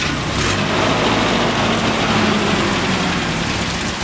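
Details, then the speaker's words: 1987 Nissan D21 pickup, Z24 four-cylinder, with new fuel pump, long-sitting, put in first gear and left idling to burn off: steady, even idle with a consistent low rumble, no knocks or misses; normal idle. "you got to let it you got to let it run cuz it's been sitting so long it needs to burn out all the let it just let it idle"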